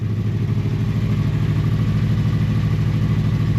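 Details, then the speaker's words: Honda motorcycle from storage (V65 Magna, VT500C or CM250T) on full choke, with float bowls drained and refilled with fresher fuel: fires first turn and settles into an even, steady low burble of about two beats a second; normal start and idle. "Beautiful. I have got full choke on, but other than that, all I did was drain the float bowls, let them fill back up with some fresher fuel."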